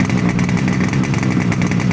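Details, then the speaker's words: Yamaha RD250D two-stroke, first start in 45 years after restoration, cold on choke for the first seconds: a fast, busy burble holding a steady high idle with no misses. Owners suggest 30 seconds on choke. Cold idle on choke. "choke after 10 seconds. Take it off now, fly. Pull the lever up. There you go. Oh, too far. Too soon. Too soon, yeah. Maybe run it for 30 seconds then."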